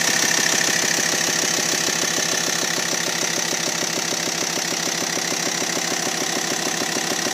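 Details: T5 engine at idle: fast, very even ticking about three per second over a bright hiss; something knocking, cause unclear; abnormal engine noise at idle.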